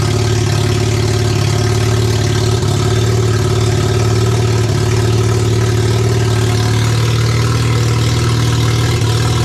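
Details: Mazda 12A rotary from a barn-find RX7 that sat for years, first start, with the electric fuel pump on and a suspected flooding needle and seat: loud, steady, even rotary idle with no misses or knocks, until it ran out of fuel.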